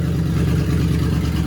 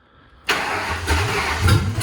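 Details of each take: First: 1955 Ford F1000 rat rod V8, cold, just after an intake replacement: a deep, steady burble with an even lumpy pulse, no ticking, knocking or leaks, so it is idling normally. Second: 1955 Ford F1000 rat rod just after an intake replacement, first cold start at 4 degrees outside on a borrowed battery with the fuel pump on: it cranks, fires, stumbles and surges unevenly before picking up, a rough first start with the cause unclear.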